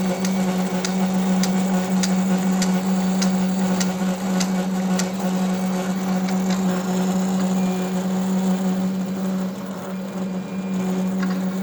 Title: Roland Versacamm Motor Error 0080 with Loud Noise